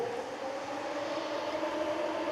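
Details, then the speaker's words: Plymouth Duster V8 project, electric radiator cooling fan freshly wired as a quick job alongside an electric fuel pump: steady airy rush with constant mid-pitched hum, no rattle or scrape; fan runs normally, though owner worries it is small. "All right, Steve, it's a full Roadkill quickie job, but the fuel pump and the fans are wired. Ready? Let's hear the fan."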